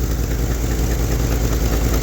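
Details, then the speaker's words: 1971 Lincoln Continental Mark III V8 at idle after rebuild (new pushrods, lifter, head gaskets, timing chain, Edelbrock Performer intake, Street Demon 625): steady idle with faint regular knocking from the replacement mechanical fuel pump, felt in the steel line to carburetor; exhaust leaks also suspected. "My M Carter mechanical fuel pump sounds like crap."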